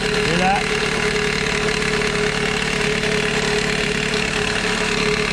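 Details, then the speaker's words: Idling four-cylinder 2001 Toyota Corolla, parked in drive with e-brake on, with loud chattering rattle from worn serpentine belt tensioner; rattle quiets when hand pressed on tensioner; fixed by replacing tensioner. "what i was putting my hand on right here is actually the tensioner for the serpentine belt things making a lot of noise when you put your hand on it it kind of gets quieter"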